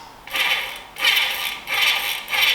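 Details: Trek bike with a Bontrager freehub, after the freehub was serviced because its grumbling pawls had lost their spring. Light, fast, high-pitched ticking in smooth bursts as the wheel coasts; the freehub now sounds quiet and healthy.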